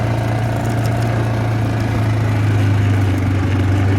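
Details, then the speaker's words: Yamaha Grizzly 600 ATV after sitting upside down 25 feet underwater overnight, oil changed and filled to about three quarts: even, steady single-cylinder idle, smooth low thrum, no knocks or misses; normal idle. "win doesn't sound like it's running off or anything I mean it sounds like it did"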